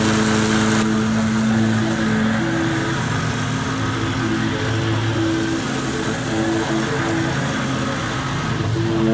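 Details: Kawasaki V-twin mower after replacing both intake manifold gaskets (it had misfired and bogged even after a new ignition coil): steady, even drone while mowing, no dips or bogging, running normally.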